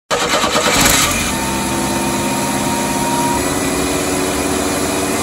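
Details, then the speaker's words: 1986 Chevy S10 Blazer, 2.5L, recently revived: fast steady idle with a thin whistle that holds then drops; idle accelerating and running away, owner to check vacuum lines, TPS, MAP sensor and IAC, cause not yet confirmed. "the idol is accelerating running away"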